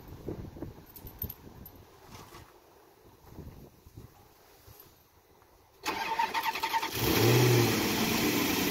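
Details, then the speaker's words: 2007 Maserati Quattroporte 4.2L V8 (M139) after cam cap machining fix for variator rattle, restarted after sitting a few hours: catches quickly, easy start, smooth steady idle with no start-up rattle; problem fixed. "this is after a few hours of sitting so looks like the problem has been fixed easy start no noise"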